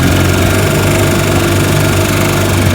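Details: 1955 Johnson Seahorse 10 hp outboard, freshly restored (ignition, carburetor and gearcase rebuilt), on lake test: loud, even two-stroke burble with no misses or knocks; normal healthy idle.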